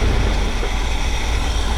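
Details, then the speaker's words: 1979 GMC Vandura G25 3/4-ton carbureted van idling before timing adjustment, vacuum gauge on, step-up metering rods popping up: low, slightly loping uneven rumble, only about 13–14 in of vacuum, idles low; owner expects timing adjustment to help. "Not a lot of vacuum. It's about 13 14 inches of vacuum. Idles a little low. This is where adjusting your timing will help that out."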